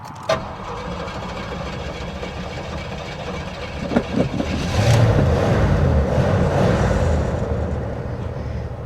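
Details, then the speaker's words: 1979 Cadillac Coupe DeVille, 7.0 L 425 cu in V8, about 68,000 miles, parked 27 years. Lumpy, surging and sagging idle, then it stalls as the fuel gauge swings above full; rough running, cause not identified. "It's not running great. Not surprised. Oh, the fuel gauge just went way above full and it died."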